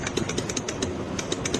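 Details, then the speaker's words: Rapid dry clicking, about seven a second, with no engine cranking: weak battery or a faulty starter. "اگه باتری موتور ضعیف باشه یا خود استارت مشکل داشته باشه این"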